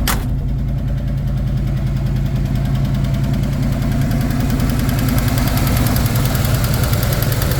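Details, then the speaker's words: 1969 Chevy K20 V8, off the road since about 1982–83, after a full tune-up, exhaust rusted away: a loud rough idle with a quick steady tick over the rumble, suspected collapsed lifter. "all eight cylinders it does have a sounds like a lifters collapsed so it's got quite a tick but it fires right up"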